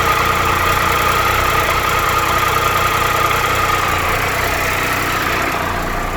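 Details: 2013 Triumph Tiger Explorer, 31,000 km, at idle: light, fast, fairly even ticking about two or three a second, present cold and warm; valve-train tick suspected, taken to dealer for valve adjustment.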